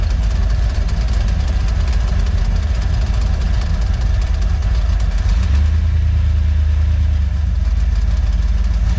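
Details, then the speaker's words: Boat engine first water test run: rough low idle with a loose, uneven metallic rattle. Owner suspects a valve near the exhaust that wiggles; not confirmed. "I don't know how good you're gonna hear it on the video, but you can hear it really loud in person. But let's get it fired up. If you can hear that rattling noise or not, but that's the that set valve."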